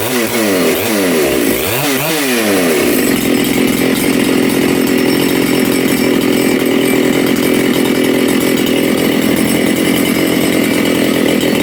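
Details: Makita/Dolmar 7900 85cc 54mm big-bore chainsaw, carb limiters removed, needles set from one turn: uneven blips and swoops settling into a steady high scream as the low jet, found slightly lean, is richened.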